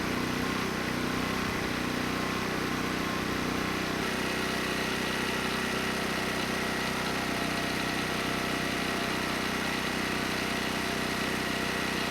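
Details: ETQ 2700 W generator, 163 cc engine, brushless powerhead, loaded 100 W over rated wattage: steady even drone holding speed, no hunting, surging or knocking; stayed near 61 Hz, 118 V, running healthy.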